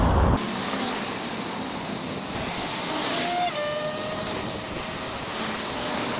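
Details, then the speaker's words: Xerider E-Flex electric scooter on a road ride, GoPro mounted: mostly wind and tyre rush with only a faint brief motor whine; the motor is quiet and healthy. "ce que j'apprécie aussi c'est le silence vous entendez à rien du tout pas de bruit de moteur c'est génial"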